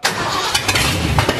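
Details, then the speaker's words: Ford 351 Windsor V8 in an F100 truck, first startup after flushing diesel from the fuel system: catches and runs ragged with surges, stumbles and wandering revs; dirt in the carburetor suspected, timing unchanged. "so okay between the fabricator and the barefoot mechanic we can only think that there's dirt in the carburetor right yep"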